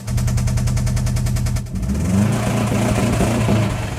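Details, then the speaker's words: 2002 Subaru WRX engine, bought used, knocking within 30 days: steady low running with hard rapid knocking underneath that sharpens as revs rise; rod knock from a failed crankshaft rod bearing letting the rod bounce around, later fixed by full engine rebuild. "and then you just have a rod connected to the piston, connected to the crankshaft, and with that bearing gone, the rod is just basically bouncing around in there."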